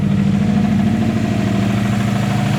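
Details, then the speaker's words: Subaru WRX idling with a dull, even knock tied to engine speed, after it lost power on the freeway and shut off. A shop confirmed rod knock; owner also wondered about the timing tensioner pulley; seemed quieter than before. "so we're not sure could be a rod nog could be a lot of different things it could possibly be the the timing tensioner pulley but I'm not sure"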